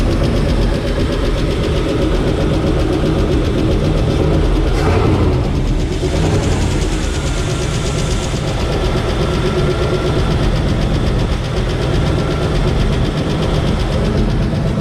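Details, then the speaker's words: Square-body Suburban V8, overhauled about 5 years ago and barely run, with a used Edelbrock 1405 carb: fast light ticking of about four per second over a rough idle, quieting as it warms. Owner suspects lifters slow to pump up, possibly needing adjustment. "Well, that's lifters as it goes away. Might just have to adjust the lifters."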